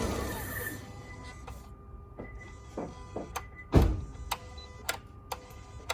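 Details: 2014 Volvo S60 T5, phone on the hood: after engine shut-off, sharp irregular electrical clicks and knocks from the engine bay every half second or so; owner unsure if normal or which side it comes from.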